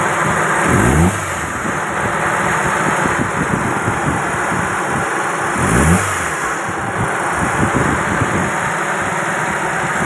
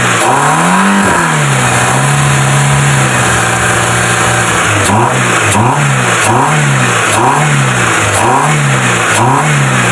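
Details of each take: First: Proton Wira with a dirty throttle body at low, uneven idle with a couple of short surges a few seconds apart, causing stalling, low RPM and no power; the throttle body is then serviced and cleaned. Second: Proton Wira after throttle body cleaning, fixing low idle, stalling and no power: steady idle, repeated quick revs rise crisply and settle straight back to even idle; healthy.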